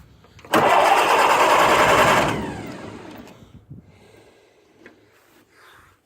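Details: Massey Harris 22 tractor, way cold, plenty of gas, sticky clutch: a short burst of cranking that never catches; cranks but won't start, owner will investigate.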